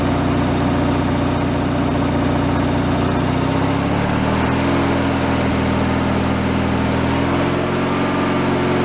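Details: Free derelict Craftsman riding mower engine, started by key on fresh fuel after repairs, warming up before an oil change: steady idle hum, pitch settling slightly as it warms, no misses or knocks; normal idle.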